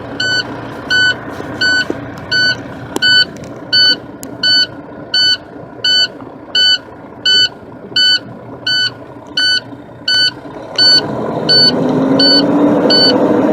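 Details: Truck with air brakes, engine started during a pre-trip air brake inspection, compressor gear driven: a steady high beep pulsing about 85 times a minute, then the engine cranks and runs underneath. This is the low air pressure warning buzzer.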